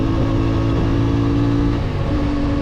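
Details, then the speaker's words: New CFMoto 450MT twin at about 500 km, climbing mountain roads in warm weather: smooth, even drone pulling uphill, pitch stepping with throttle, no knocks or rattles, satisfying block and exhaust sound; normal engine under load. "motorun sesi çok iyi hem blok olarak hem egzoz olarak yani Videoda ne kadar yansıyor bilmiyorum ama gerçekten çok doyurucu bir sesi var"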